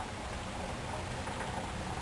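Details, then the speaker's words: Olympia Cremina lever espresso machine just after bleeding false pressure: soft, steady bubbling and gurgling hiss as the boiler heats back to temperature, normal. "maybe I don't know if folks can hear the gurgling of the boiler as it uh as uh the boiler heats up to the proper temperature"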